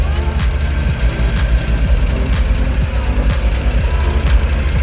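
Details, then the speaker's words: Honda NSX C30 V6 first start after partial reassembly: low, even burble with a steady pulse under music, no knocks or misses; healthy idle. "It's alive. And don't sound bad. Alright, it is alive."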